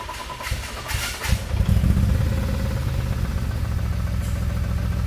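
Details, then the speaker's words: BMW-engine-swapped Nissan S13 idles with an uneven, lumpy, stumbling beat and runs badly. Before the fix: the misfire was traced to a vacuum leak. "just kind of sounds like a misfire. So, that's what it sounds like. It's running pretty bad."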